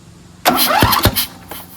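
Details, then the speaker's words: Free Craftsman DLT2000 lawn tractor, small twin engine, cranks briefly on a test battery with two sharp pops; owner suspects a blown head gasket. "You hear pops? Yeah. It's got some kind of blown something right there. Blown gasket? Head gasket? You hear the popping. That's not normal."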